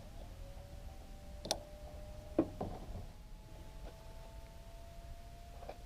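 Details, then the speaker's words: Headlight Experts LED bulb with CANbus in a RAM headlight, just powered on: faint steady high hum winding up like a spooling jet, with handling clicks over it; the bulb's cooling fan running normally. "I don't know if you can hear that, but you can hear it making noise. And it's putting out light."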